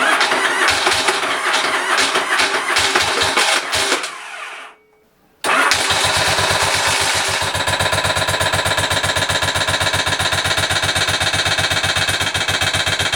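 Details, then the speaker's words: Motorcycle engine restarting after the cam sprocket bolt was torqued, still a loud, fast, even ticking about four per second over the idle; the bolt immediately loosens again, pointing to a loose cam sprocket bolt. "still makes a horrible noise which I find very strange"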